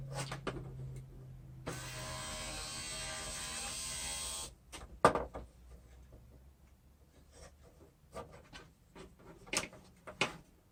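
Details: Junkyard window regulator and motor from a 2011 Acura TSX, bench-tested after cleaning and regreasing a locked-up gearbox: steady, even whir for about three seconds, no grinding or binding, stops cleanly. Normal window regulator operation.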